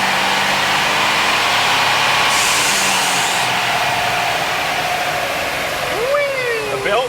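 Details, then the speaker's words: Mitsubishi Delica 4WD van with a 3-litre V6 on the dyno, first full-throttle pull, making 87 kW: a loud engine roar, then a short squeal as the load dropped and the tire unloaded. Belt squeak is suspected, possibly the tire. "that sounded like a belt a belt or a even it might have even been a tire something funny happening when the tire unloaded"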